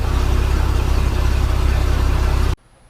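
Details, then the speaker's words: Boat with MerCruiser 4.3 after replacing fuel line and filter and fixing broken oil pressure safety switch tee: steady, even low thrum at idle with no misses or knocks, clean shutdown; running good. "Alright, on. Sounds like it's running good."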